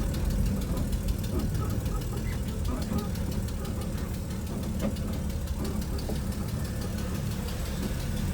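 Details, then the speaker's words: 1964 Chevy Nova with tune-up type issues, warm: uneven, lumpy idle with puffing in the exhaust note; runs rough, exhaust leak suspected but cause not confirmed. "yeah this thing's running just a little bit rough sounds like it's maybe got an exhaust leak too"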